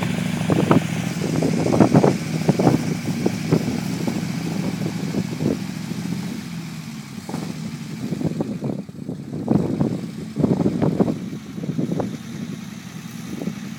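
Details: Unimog 404 first start-up after rebuild with new fuse boards and a rewire: uneven but continuous low chug with some clatter and light revving, running on its own; normal running.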